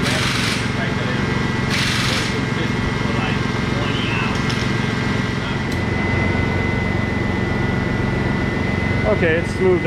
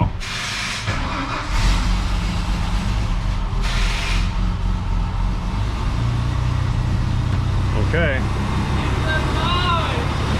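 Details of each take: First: Teal Ford F-150 with 300 straight-six, after restoring spark from a failed ignition module and clearing flooding from cranking without spark: even, steady note, smooth rhythm, no misses or knocks; back to normal running. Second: Teal Ford F-150 with 300 straight-six, towed in as a no-start, first start after restoring spark from a failed ignition module: runs low, uneven and labouring, barely alive; flooded badly from cranking without spark, expected to clear.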